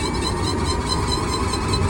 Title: Sound Kia Niro EV grinding Noise - what defect?